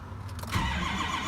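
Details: 2003 Ford F-250 Super Duty 6.0 diesel after replacing a seized AC compressor: starter cranks steadily with an even churning beat but never fires, ICP reading 3; crank no start.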